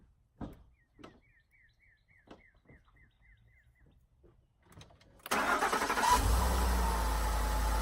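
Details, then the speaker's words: Truck started after engine bay wash and detail, still wet, to warm up and dry: a few clicks, engine catches promptly and settles into a steady, even idle, no dash lights; healthy start. "Alright, so we got the truck cranked. There's no lights on the dash. Everything's working like it should be."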